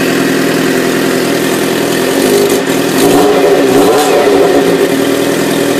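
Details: 1997 Suzuki GSX-R750, 19k miles, inline-four idling and revving with a light, fast top-end tick that follows engine speed; owner suspects it needs a valve adjustment and a new cam chain tensioner; cause unconfirmed.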